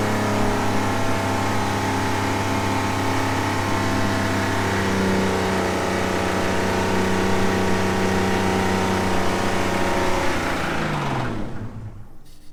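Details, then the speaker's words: Old Ford engine deliberately run with sand and water poured into the head: held at high revs it drones on, then the pitch sags and it suddenly dies; catastrophic engine failure. "And that's all she wrote. That was the catastrophic failure I was looking for."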